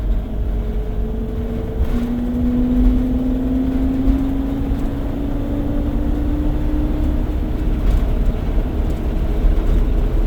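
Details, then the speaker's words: 2004 Four Winds Class C motorhome driving past 45 mph: steady low hum climbing slowly in pitch over road rumble; road-speed whine now quieter, owner suspects over-tight parking brake shoes wearing in, unconfirmed. "Okay, we're we're past the 45 mph. It kind of seems like it's uh not as loud."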